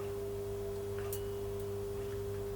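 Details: Vintage Oxford RT110 MMA stick welder, after sitting about 10 years, rusty inside, idling after a test weld: steady unwavering hum with a clean mid tone and low drone underneath; transformer idling normally.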